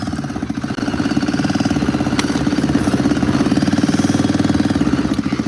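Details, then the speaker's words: ATV, cold start on choke: small single fires and settles into a quick, steady, even putter at idle, pulses slightly uneven as it warms; running normally, sounds pretty good. "Oh my gosh. It is idling. Holy crap, guys. Is that even freaking real? It's idling. That's crazy. Well, we might be driving it. Yeah, it does sound pretty good."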